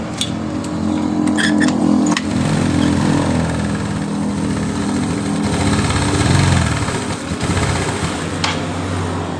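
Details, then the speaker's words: Yamaha Mio scooter, previously dead with a stripped spark plug thread, black smoke and leaking valves, after valve rework and plug installation. It starts immediately and settles into a smooth, steady putter at about four beats per second; normal idle. "Dengar suara dari motor ini sudah halus ya teman-teman."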